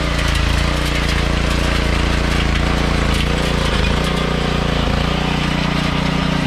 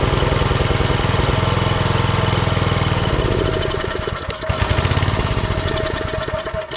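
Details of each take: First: Troybilt Pony tiller, 5 hp Briggs & Stratton, after carburetor jet cleared with copper wire: even, steady low thump at constant speed, no misses or surging; running smoothly. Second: Troybilt Pony tiller, 5 hp Briggs & Stratton, unused for years, after first carburetor clean: uneven surging single-cylinder thumping about three per second; main jet still clogged, later cleared mechanically.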